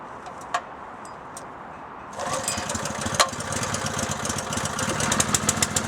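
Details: Honda 6.5hp single-cylinder pump engine, unrun for roughly three years, fresh gas, choked and pulled slowly after cleaning a plugged carburetor orifice: quiet, then catches at two seconds and runs steady and even; normal running.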